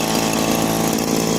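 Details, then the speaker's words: John Deere commercial two-stroke hedge trimmer the previous owner could not start, now running, with its air filter missing; a loud, even buzz holding a steady high speed with no misses or surging; it runs well. "all right guys we got lucky will it run yep it'll run and it sounds good my 25 john deere commercial hedge trimmer it's a winner"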